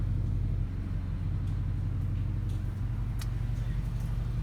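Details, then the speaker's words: 2013 Ford Transit Connect idling in park, cabin: deep steady droning vibration felt in the seat, RPM normal; passenger-side engine mount replaced and that fixed the noise. "2013 Ford Transit Connect it has a weird vibrating sound inside when you have the car in park or when you pull up at a red light"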